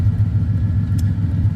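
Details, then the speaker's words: BMW E36 with swapped rebuilt aluminium 5.7 LS1 V8, after exhaust repair: deep, lumpy V8 rumble with no ticking or puffing at the joints; exhaust sealed, leak fixed. "But yeah, there's no more exhaust leak. That's the end of that."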